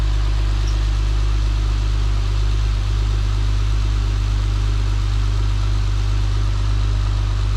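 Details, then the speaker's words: Acura TL 3.5 V6 just after installing RL cams plus P2R runners and spacer, first start: smooth, even low rumble with no ticking or knocking; quiet, healthy idle, may need idle relearn. "kind of quiet i think he's like not even ticking or anything oh i might have to relearn that the idol"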